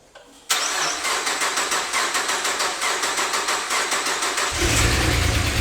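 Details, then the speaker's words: 2006 Subaru Outback, 3.0 EZ30 six-cylinder, automatic, code P0304 cylinder 4 misfire; after swapping the cylinder 4 coil pack it cranks, catches and idles lumpily with a stumble about three times a second; misfire actually caused by valve spring retaining clips coming off. "Alright. Not much improvement. Because that's not running any smoother, I'm going to replace the front and the rear passenger side coil packs."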